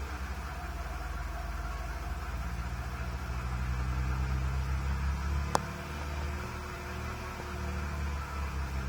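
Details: Engine with rough lumpy idle and misfire for 3 months after new water pump, spark plugs and ignition wires; faint hiss underneath, owner suspects vacuum leak, not confirmed.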